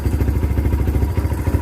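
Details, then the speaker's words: Kawasaki Barako 2 single-cylinder motorcycle idling after connecting rod replacement (noise first suspected as timing chain), now breaking in: even steady low thump, no knocking or clatter; quiet, back to normal. "Okay. So ngayon okay na. Tahimik na siya ulit. Back to ano na siya. Back to normal."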